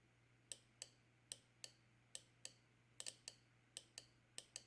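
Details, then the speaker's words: 1989 Toronado fuel injector bench-tested on 12-volt supply, drawing about 0.4 amp: sharp crisp clicks about three a second, some doubled, over low hum; normal injector clicking; engine had low power and dropped a cylinder at first startup. "I hope you can hear it clicking. And the other thing you can do on this guy back here is watch the amperage come up."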